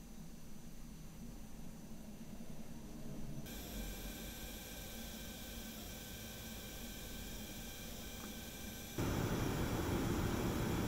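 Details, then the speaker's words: Sapphire RX 7900 XTX Nitro+ graphics card under load: high, thin buzzing coil whine with several steady pitched tones over fan hiss; noticeable but not the worst. "I did, however, unfortunately notice some coil whine during my testing. It's not the worst I've ever heard, but take a listen for yourself with this quick sound test."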